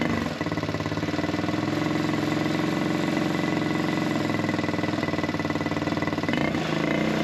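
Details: Buggy single-cylinder with a carburettor air-setting problem, after the water-soaked air filter was dried and refitted. A fairly steady thump briefly sags and stumbles as the revs dip. Misfiring and cutting out; carb air adjustment is suspected.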